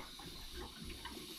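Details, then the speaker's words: Central Boiler CL 6048 outdoor wood boiler loop refilled after replacing a failed Taco 007-F5 circulator pump: soft gurgling and trickling as air bubbles out through the pipes; air purging after the heat exchanger seal was broken. "we're purging the air out since we broke the seal on that heat exchanger. So all the air right now is coming out."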